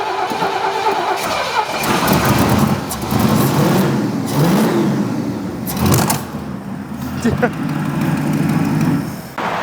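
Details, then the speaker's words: 1969 Ford LTD V8 that sat for years, first start after carburetor rebuild: cranking catches, fires and settles into a steady rumbling run with light blips; normal start and idle, spark plugs noted black. "okay the run's good"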